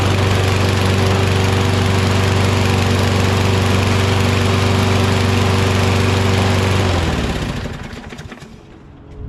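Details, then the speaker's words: Curbside Toro Recycler XT675 Kohler mower after a wash, new wheels and carb spray: steady, even chug about four a second with a constant drone, winding down cleanly at shutoff; runs great. "Awesome. It runs great."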